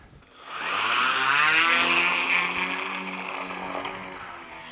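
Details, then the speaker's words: Ardupilot test aircraft electric motor spinning up to a high, rough whine with a buzzy wavering edge; strong vibration, suspected left motor, props spinning outward at top. "oh something doesn't feel it's a bit vibrating wasn't it I can I can hear it vibrating too I wonder what happened between the last fight and this one oh it's really vibrating wow what is this oh yeah I'm pretty sure it's a left motor"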